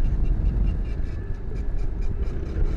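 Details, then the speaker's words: New Venom/Lifan KPV-150 on first ride: light chirp about three times a second over engine thrum, keeping pace with wheel; stops when front brake applied; owner suspects new brake pads rubbing, unconfirmed. "engine sounds fine. It sounds like brake noise or some shit. Cause it goes away when I hit the front brakes."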